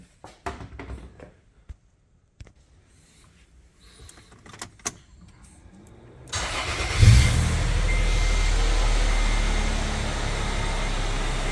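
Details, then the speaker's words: 2008 Toyota FJ started after MAF sensor cleaning and TRD air filter install; quick crank, short rev flare, then a settled, even idle with no misses or ticks; sounds healthy. "sounds pretty good to me"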